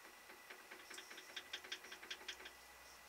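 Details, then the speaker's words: Woodturning live centre about 14 months old: light, uneven ticking under two a second as it spins, from worn bearings with more play than they should have. "but this has got more play than it should have in fact you may be able to listen to it"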